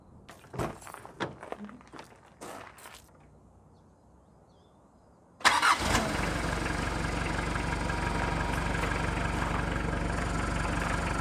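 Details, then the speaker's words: Neglected project van that previously overheated and lost its coolant, battery charged overnight, morning start: a few clicks and a pause, then it fires at once into a steady even idle, no misses or knocks; sounds healthy, still needs oil change and transmission fluid. "The battery charged overnight without issue. The van fired right up. It sounds healthy."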